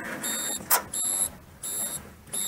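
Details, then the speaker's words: 1932 Ford sedan, ignition on accessory, left indicator on: the flasher unit's built-in buzzer gives high thin bursts about twice a second, quietened from very loud by a screw in its underside hole; working normally. "And can you hear that relay there on the right? That's buzzing. Only gentle. When I first tried it, I nearly jumped out of my skin. It was so loud."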